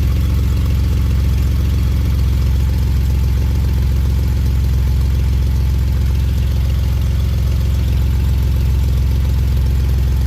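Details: Healthy, steady idle on a 2011 Jeep Wrangler JK with almost 130,000 miles, run with no low-oil-pressure warning: a deep, smooth, even rumble with no knocks or ticks.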